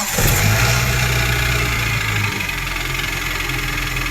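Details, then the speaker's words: Cold start of an engine: fast idle with light uneven clatter, about three ticks a second. Cold-start top-end ticking blamed on stuck piston rings, poor oiling and clogged oil passages; fix is engine internal cleaning and oil change, not engine repair. "对于发动机凉车传来的咔咔异响声，我们的维修方法不需要修发动机，只需进行发动机内部清洗就能解决问题。"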